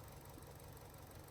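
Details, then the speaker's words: 2013 Fiat 500 1.2 MPI petrol (169.A4.000) rough idle, engine shaking: lumpy, stumbling beat from a cylinder 1 misfire, codes P0301, P0300, P0136; plugs, coil pack and lead to be replaced. "You can see now engine shaking. Yeah. It has a bad misfire."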